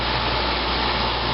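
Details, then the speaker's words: 1995 Fedders window air conditioner, heard from outside with the compressor running: low, steady hum and smooth even hiss, no knocks or rattles, another unit faintly in background; compressor quiet and healthy. "with the compressor running it's real quiet you probably still hear the carrier running in the background"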